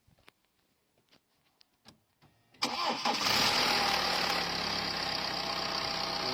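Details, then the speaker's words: 2012 BMW 3 Series N47 diesel cold start: brief metallic rattle for a couple of seconds at first fire, settling into a busy clattering idle; timing chain rattle, car in for chain replacement and also rattled at idle. "it rattled for a couple of seconds first."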